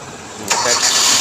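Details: Hyundai Accent crank-no-start: after a fuse box and relay wiring repair, a quiet moment then the engine catches and runs steadily; a position sensor fault and wiring problem still remain.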